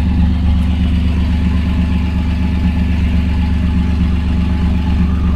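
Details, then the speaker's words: 1992 Chevrolet S10 Blazer idling on a cold day after plug wires replaced to cure a multi-miss: deep, even rumble with no stumble or shake, no check engine light; leaking catalytic converter and a vacuum leak noted. "Not even a check engine light. It used to pop up when it had a multi-miss. It used to miss really bad. Now it's nice and smooth."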